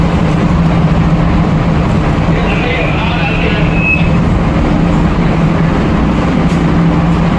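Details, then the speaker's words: Mall AHU, fan on VSD, heard near a supermarket: steady heavy rush of air under a constant low hum; excess airflow; fan speed being reduced via the VSD. "So now we are having the trouble with the noisy sounds. This noisy sound it go inside to the supermarkets because our supermarket are opening now, and but some tenants are not yet complete installations."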